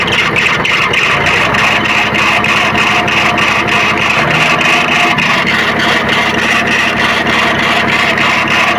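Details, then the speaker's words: Tractor diesel idling with a sharp chirp repeating about three times a second; confirmed loose fan belt tension slipping on its pulleys, fixed by setting belt tension (12 to 20 mm deflection). "और हमने जो ये आवाज को अपने हिसाब से ठीक किया है और एक्सपीरियंस किया है वो हम कंफर्म थे कि इसका फैन वेल का तनाव लूज होने के कारण से ही इस तरह का प्रॉब्लम इसमें साउंड आ रहा है"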